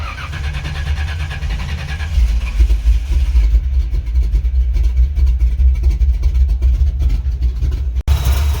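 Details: 1985 Chevy C10, 350 short block with ZZ4 heads and cam, freshly fitted used Quick Fuel SS 680 cfm vacuum-secondary carb, choke unhooked, mixture unadjusted; lumpy uneven V8 beat, ragged revs, crisper than old Holley 750 but trash in carb: rough running from dirty carburetor.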